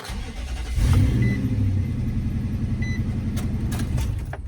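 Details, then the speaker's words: Infiniti QX4 with 200,000 miles at auction: brief crank, catches almost instantly, flares then settles into steady even idle; starts readily and healthily. "that boy crank. That boy ready."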